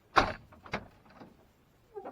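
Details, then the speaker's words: RAM 1500 driver-side door, after an attempted squeak fix: a few dull clunks as the door swings, then a short high squeak, worse than before; door check squeak. "yeah but it's worse than it was when it started how is that even I literally don't know how that's possible"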